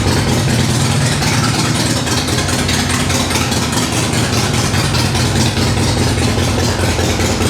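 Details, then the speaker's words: Harley-Davidson Sportster, first start after sitting 8 months, cold start on choke at high idle: fast, even V-twin thump, steady with no misses or knocks; healthy engine, owner says it sounds great and will be warmed up before riding. "This is probably one of the purest sounding smores out there. This thing when we get it down off the high idle, it sounds nasty."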